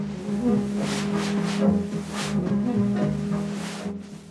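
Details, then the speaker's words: 1978 Becker car radio demonstration: music washes out under repeated hissy swooshes about twice a second, an obstacle between station and antenna, typical in weak-reception fringe areas; FM reception dropout noise from obstruction. "peut signifier qu'un obstacle naturel ou artificiel s'interpose entre la trajectoire du signal émis par la station radiophonique et votre antenne autoradio ce genre de parasites se manifeste la plupart du temps dans les zones limite de faible réception"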